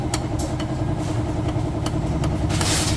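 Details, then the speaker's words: Engine run with almost no oil, about 37 on the odometer: loud metallic clatter with sharp, steadily repeating knocks over the idle; connecting rod knock from oil starvation, with worn side plates. "Maingay. Tama nga si Gunyal. Connecting rod."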